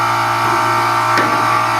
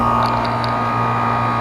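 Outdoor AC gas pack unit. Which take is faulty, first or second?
first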